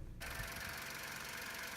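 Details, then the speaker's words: VW Fox/Polo petrol engine started briefly after fitting the drive belt over the tensioner pulley to cure squealing; idles evenly and steadily with no belt squeal, repair works. "startet ihn ganz kurz und wenn es sich gut anhört das funktioniert"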